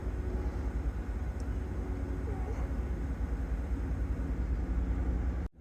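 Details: 2014 GMC Yukon 5.3 LS V8 with P0307 cylinder 7 misfire, after new spark plugs and wires, AC on low for extra load: low, even rumble, rpm holding steady with no stumble; normal idle.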